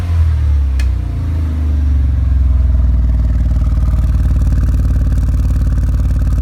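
Revs drop back to an uneven, lumpy low pulsing idle with a stumbling exhaust beat, the note of a rotary misfiring.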